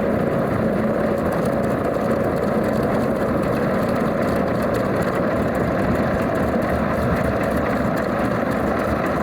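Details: Alvis Leonides Mk 25 radial engine in a Percival P.56 Provost trainer, settled back after run-up: deep, steady rumble at an even idle with no misses, knocks or surges, a healthy normal idle.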